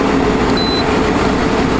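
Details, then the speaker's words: 8000 BTU window air conditioner, restarting after about three minutes off: steady low hum, smooth even drone without clatter or rattle as the compressor kicks in; a normal start. "the power saver on this one actually cycles a fan on and off you know like a unit should there goes compressor"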